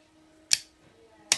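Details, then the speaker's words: Winchmax 12V winch solenoid bench-tested on a 12.7V battery, negative to the center spade and positive to a trigger terminal: a crisp clunk as the contactor engages and another as it releases. A fully functioning solenoid. "you can hear a definitive clunk rather than a click so that is this the contactor staying connected"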